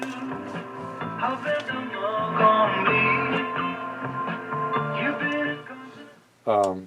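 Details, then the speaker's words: Philco 38-7 radio after its capacitor blocks were repacked and the volume control repaired: music comes through clean and full at steady volume with no hum, crackle or fading; the receiver is weak but sounds good. "sounds good it sounds really good uh in a market or in a location where there are lots of strong stations around this would be a really nice radio to have it does definitely have a nice sound to it"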